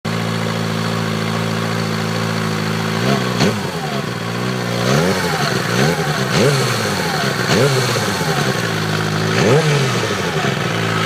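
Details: Suzuki GSXR 600 K6 idling and blipped, with a whine that rises and falls with revs. The noise persists after replacing the starter clutch and then the cam chain and tensioner.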